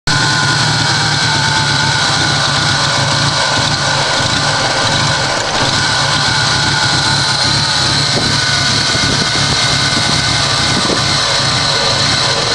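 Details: Toyota Supra with a loud, hissy idle and a restless, uneven undertone instead of a smooth beat; the engine idles very rough.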